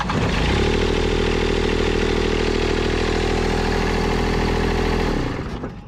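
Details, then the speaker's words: Toro Groundsmaster 223D diesel mower, abandoned for decades, after hooking up shutoff solenoid: steady even diesel clatter then dies cleanly within a second on key-off; healthy engine, solenoid works. "All right, got this thing screwed in here and now we should be able to turn it off with a key."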